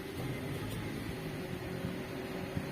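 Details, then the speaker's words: Car AC not cooling, after fitting a 10 A fuse for the compressor, fan on, temperature set mid: soft steady blower and engine hum with compressor clutch engaged and running evenly, no rattle or slipping; working normally. "hanya suara cecak babi kompresor sudah nyala Ayo kita tunggu beberapa menit"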